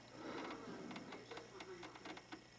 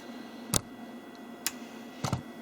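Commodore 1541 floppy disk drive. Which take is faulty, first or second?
first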